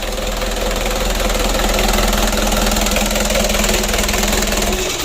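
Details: Freshly rebuilt 120 PS 4D34 diesel at idle just after first start: steady, even beat with no odd knocks or rattles; oil good, running-in for four days to a week planned.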